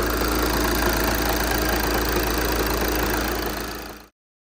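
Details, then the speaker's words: 2014 VW Jetta SportWagen TDI, 2.0 L CJAA diesel, 115,000 miles, Copart salvage listed as non-starting, warming up: steady diesel clatter at an even idle with no misses or knocks, then shut off; engine sounds healthy. "beautiful she runs guys she runs let it warm up a little bit"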